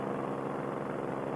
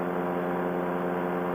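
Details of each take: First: Paramotor two-stroke engine in flight, back after a long break, GoPro turned toward the engine: at about quarter throttle while descending, a steady mid-pitched drone with an uneven, fluttering burble. Rough part-throttle running of unknown cause. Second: Paramotor two-stroke engine in flight, GoPro aimed at the engine: above half throttle while climbing, steady even high-revving drone with no burble or misses. The engine runs smoothly, though it burbles at or just below half throttle.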